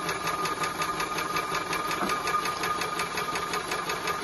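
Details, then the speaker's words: Maxitrak 5-inch Alice steam locomotive, brand new, pump test with tank filled to top with cold water, bypass opened and closed to clear air: light even ticking about three beats a second with faint ringing; pump working normally. "a good way to see whether the pump is pumping as well is fill the tank completely to the top that way if it's pumping the water level goes down and you can see it"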